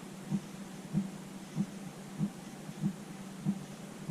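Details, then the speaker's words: Motorhome diesel heater with the dosing pump mounted far underneath the van: a soft, regular ticking about 95 times a minute over a quiet hum. The fuel pump is pulsing normally. "You can just and so hear the pump, which is underneath the van, as far underneath the van as you can get it."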